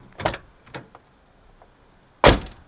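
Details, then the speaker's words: Miata driver-side vs passenger-side door after new door bushings; passenger door shuts with one firm, deep thud and much less rattle after light handling clicks, dramatically improved; solid door closing thud. "This one was actually dramatically improved. It's like a stronger thud with less of a rattle."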